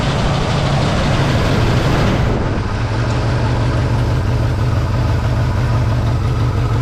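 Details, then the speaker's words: 1963 Pontiac Catalina 389 hardtop, not run in 12 years, first runs on a cold day: deep uneven idle that lopes and stumbles; rough running from carburetor flooding, found to be a stuck needle and seat and a vented fuel line. "We have a vented fuel line and a stuck needle and seat."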